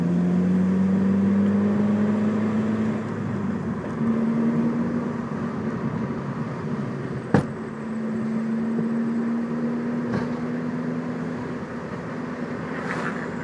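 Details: 2002 Ford Focus while driving: road and engine drone with a few isolated sharp clunks a few seconds apart from the driver's side front; cause found to be a bottomed-out coilover, since fixed.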